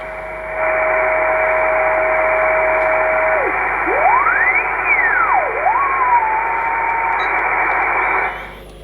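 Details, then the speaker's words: Kenwood TS-450S receiver near 3.6 MHz with preamp off, stronger with Advanced Intercept Point on: steady whistle about 650 Hz over hiss, swooping up and down as tuned; internal receiver birdie. "okay there's a birdie"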